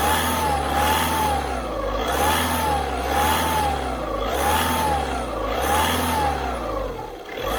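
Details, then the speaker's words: 2012 car with loud turbo-like whistle rising and falling with each rev over the engine, present about a week and a half, traced not to the turbo but to a torn exhaust manifold gasket. "Turbo sesi var çok fazla"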